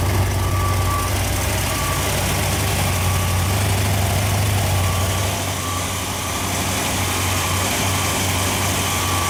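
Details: Freshly rebuilt Ford FE 390 V8 (Edelbrock, fuel-injected, mild cam) on an engine run stand, fully hot after heat soak, holding temperature with oil pressure about 55: steady, even, smooth idle with no knocks or misses, a healthy engine.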